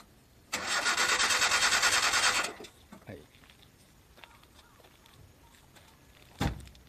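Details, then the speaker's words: Abandoned 1975 Datsun 200SX (S11 Silvia): about two seconds of steady starter whirring without firing, so it cranks but won't start; the fuel pump made no sound when powered, and a faulty pump and possibly a bad fuel tank are suspected. "y a une pompe à carburant ici plus tôt , mais même lorsque j'ai mis le courant, il n'y avait aucun bruit provenant de la pompe . Tout d’abord, la pompe est probablement défectueuse, et le réservoir de carburant, oh, tout le réservoir de carburant pourrait également être défectueux."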